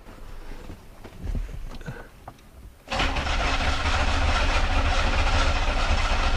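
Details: 1991 or 1992 Oldsmobile 98, cranked with a noid light on an injector harness, which flashed to confirm the computer commands the injectors; steady cranking at about three and a half turns a second, no firing; crank no-start.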